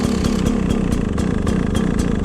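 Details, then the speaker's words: Carbureted, electric-start two-stroke dirt bike, first cold start of the day at air temperature with choke on; slow, uneven, lumpy popping idle close to stalling, idling low until it warms up and the choke is turned off. "Now it's idling a little bit low. I'll turn the choke off as soon as possible."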